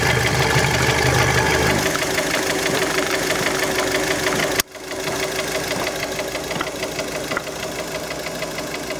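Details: Warm Fiat Panda engine, idle and revs: steady rhythmic knock about three a second persisting through revs; engine knock of unknown origin.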